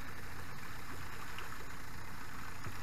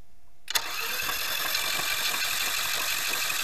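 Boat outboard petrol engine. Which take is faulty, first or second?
second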